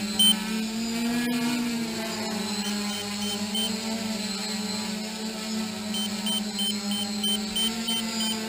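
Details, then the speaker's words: DJI F450 quadcopter (2212/920kv motors, 30A ESCs, Graupner 10x5 props, 5000mAh 3S battery) in GPS hold at 8:40; short high beeps over the prop hum as the craft twitches and loses power; low-battery warning, time to land. "so 8:40 my warning my low-voltage warning is coming on and inside so you can see it she's starting to act a little weird she's starting to twitch that's a sign that she's starting to lose power"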